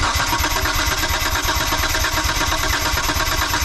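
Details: 1998 Mitsubishi 3000GT VR4 that sat a long time: steady starter cranking with even, regular compression pulses and no stumble during a compression test, retesting front-bank cylinder 5, which read lowest at about 125; normal cranking.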